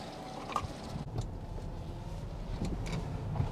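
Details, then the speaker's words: Toyota Camry rebuilt from a wreck, first drive after removing the Viper alarm that disabled the engine; quiet, even engine hum at light cruise, faint road noise, runs smooth, no engine light. "runs good don't she yeah smooth"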